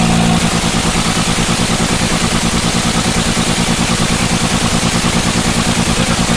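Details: BS6 engine idle chugs steadily but stumbles in a regular beat about twice a second, a lopsided pulse from a misfiring cylinder.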